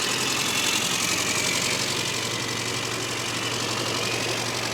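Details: Classic Mini idling after an idle mixture that was far too rich was leaned out: a steady, even idle with a smooth low beat and no misses or ticks. A clean, regular run.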